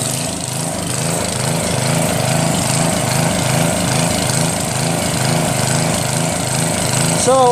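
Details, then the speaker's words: Northern Hydraulics pressure washer, Briggs 3.5 hp engine with ball-bearing recoil and no primer, sat 8 years, started with starter fluid: steady even throttle, regular beat, no misses; running normally after unclogging rusted wand tip. "now it's working their mic starts up great I think when you want to start it up in the beginning since there's no primer that kind of starts up good"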